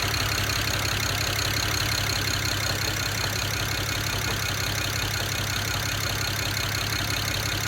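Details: 2008 BMW 135i with N54 engine: rough lumpy idle with a steady stumble about three times a second; cylinder 6 misfire from a bad fuel injector, running on five cylinders.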